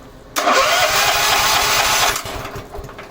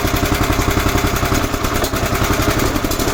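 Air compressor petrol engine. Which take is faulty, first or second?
first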